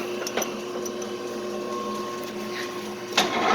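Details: Clausing 8000 series lathe after repair, running dry without coolant with the spindle at about 1,100 RPM. Light, even hum with steady tones and small clicks, no grinding or knocking; normal running.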